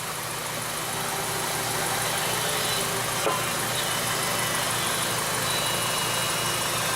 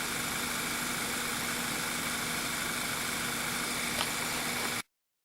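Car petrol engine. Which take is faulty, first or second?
first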